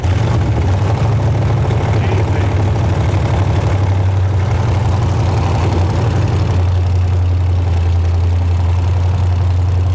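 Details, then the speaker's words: Aluminum-block 5.3 LS V8 built for a 1999 Porsche 911 swap, on the dyno, idling at about 49 psi oil pressure: a deep, steady, even rumble with no knocks or ticks. "easy all right nice work I'll take it we couldn't pay for 70 PSI oil pressure on the last one remember that yeah this is idling at like 49 PSI of oil pressure"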